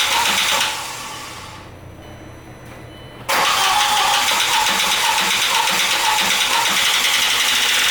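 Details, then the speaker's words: B5 Audi A4 1.8T after an engine swap, first start following a weak crank: engine catches, then a harsh, sandy metallic clatter rides steadily over the idle; rapid clatter absent when the engine was bought, cause unknown. "Oh, that sure is an interesting sound now, isn't it? That is a very interesting sound. I don't know how I feel about that. Motor was definitely not sounding like that when I bought it."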